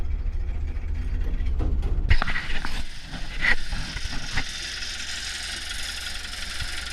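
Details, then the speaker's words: Old Hitachi UH043 excavator abandoned 16 years, after draining water from the hydraulic tank: some clatter at start, then a low, steady diesel rumble as it runs on its own and sounds healthy. "Well, she's a runner."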